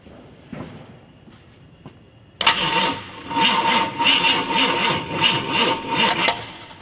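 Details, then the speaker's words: 1969 Ford F250 Ranger 390 FE big block, off road since 2008, cranking without firing: fairly even healthy compression pulses, maybe skipping on one or two; weak battery, oily engine, plugs likely fouled. "okay maybe skipping on like one or two but sounds healthy"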